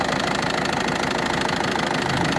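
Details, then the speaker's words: Ford Focus 2 1.6 diesel idling with a sharp, regular knock several per second, heard from below and later clearly from top of engine; knock of unknown origin. "Ford Focus 2 дизель 1.6 стук интересный двигателя здесь как вроде бы нормальный сверху СТ снизу вот такой вот Сток"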